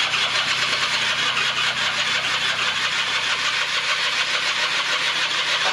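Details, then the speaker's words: Barn-find 1996 Rexy 50 two-stroke scooter, first start attempt after 13 years, NGK B8S plug, starting spray: starter churns with a hissy rasp, the engine only jerks briefly and never runs on its own. No-start. "gut also er ruckt kurz an hab das dreimal geschafft dass er kurz anruckt"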